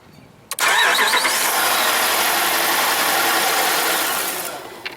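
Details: 2012 Jeep Grand Cherokee Overland with the Hemi, an intermittent no-start. The test light shows no fuel pump power while cranking. Starter spins steadily for about four seconds, but the engine never fires because the fuel pump isn't running; the TIPM is suspected.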